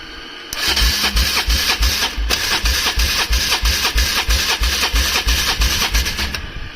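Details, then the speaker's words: Polaris Trail Boss 330 quad, cold, cranked on choke: steady starter cranking at about three compression pulses a second with no firing at all; cranks but won't start, carburetor suspected and being removed. "yeah nothing all right carburetor is coming off"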